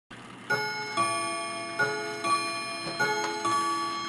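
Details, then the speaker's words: Restored 1807 Gilbert mantel clock striking the hour; clear bell strikes roughly every 0.7 seconds, each ringing out evenly with a steady count, striking properly. "this one says in 15 minutes it's gonna strike the hour all right let's set this thing up and I want you guys to hear it when it strikes 11 o'clock"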